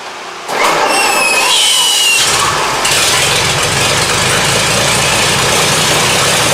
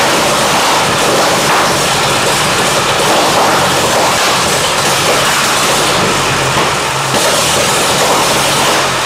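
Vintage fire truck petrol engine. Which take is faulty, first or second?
first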